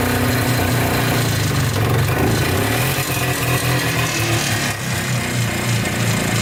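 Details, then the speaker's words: Polaris Trailblazer 250 2x4 two-stroke quad before top-end rebuild: uneven, stumbling idle with irregular firing that won't stay running or restart; owner suspects low compression from burnt-out rings. "this is a two-stroke quad and as you saw it's not running right i feel like it's long compression i feel like the rings are maybe burnt out on it"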